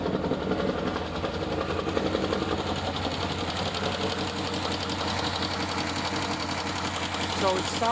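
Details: 2012 Chevy Caprice PPV 6.0 LS V8, cold start, a month after DOD delete and stage 2 cam with new lifters; fast light ticking about three per second over rough idle, rising with revs, driver's side.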